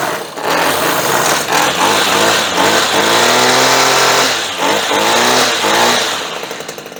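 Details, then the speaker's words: Redmax weed eater that wouldn't start, spark confirmed; after fuel sprayed into carburetor the small two-stroke buzzes cleanly, rising and falling with each throttle blip without stumbling; starts and runs healthy. "Ikke nok med at den kører, det lyder godt."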